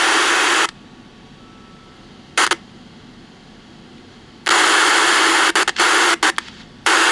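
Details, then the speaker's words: 1964 Johnson Messenger 3CB CB radio with the receiver disabled: severe steady white-noise hiss generated in the audio section, cutting out when the signal is shunted with a capacitor. Suspected cause is noisy old PNP germanium audio transistors. "the symptom with this radio is severe hiss like severe white noise and I give you an example of that now keep in mind the receiver is completely disabled in this so all of that noise is being generated in the audio section"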